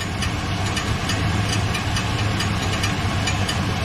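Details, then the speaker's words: 2013 Chevy Silverado V8 at idle, heard from underneath: a light, regular metallic ticking over a steady rumble, diagnosed as the flywheel hitting the starter. The truck also has an oil leak, suspected at the rear seal. "the noise that noise that sounds like the fly is hitting the starter"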